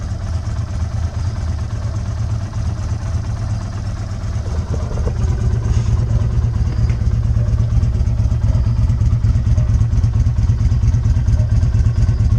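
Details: 2020 Izuka CL 250 motorcycle with 500 km, which jerked and stalled while riding from a fuel fault, after the screw fix: even low putter at idle that holds steady without stumbling or dying; idling normally.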